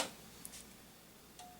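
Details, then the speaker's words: Desktop PC's CD drive clicking as the system runs: a few light, dry, irregular ticks in a quiet room, sounding like a floppy drive at times. The cause is unknown. "I also don't know why the CD drive sounds like a floppy drive sometimes"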